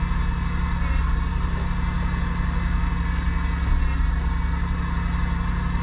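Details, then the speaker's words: 2001 Buick LeSabre after replacing high pressure and return power steering lines, refilled and idling while the wheel is turned side to side; steady low hum with faint pump drone; power steering pump whine from aerated fluid, air bubbles bled out. "now we're just going to go ahead and start it up and then pump's going to make some noise at first I'm just going to start working it side to side"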